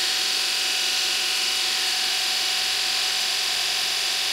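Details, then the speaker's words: Kostov 11-inch DC series motor after brush and brush ring replacement, being run in on the bench before installation in the car. Steady high whirr with even brush hiss and no knocking or scraping: normal motor run. "this is the process to get the motor running get it run in before we actually put it on the car so I'm not going to do a whole lot of run in right this"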